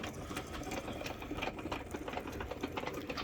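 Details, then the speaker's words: 1962 Sprunger Brothers wood lathe driven by a speed-controlled sewing machine motor: light motor hum with sharp, uneven clicks about every second from the headstock; worn spindle bearings, to be replaced with new 20x47 mm bearings. "I have a 1962 Sprunger Brothers wood lathe made in Topeka, Indiana, USA. And I think I have a shot bearing. So what we're going to do today is replace these bearings."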